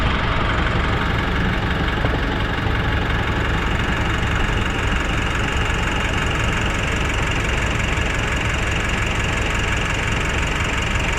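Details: Nissan NV350 diesel idling with steady clatter and no hunting after scan showed no codes; earlier rough, hunting idle with low power and smelly smoke is now stable.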